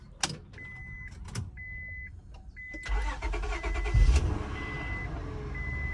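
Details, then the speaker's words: Auction car being started: door chime beeps, short crank, engine catches quickly and settles into a smooth, even idle; started right up, sounds clean. "okay real clean sound good started right up"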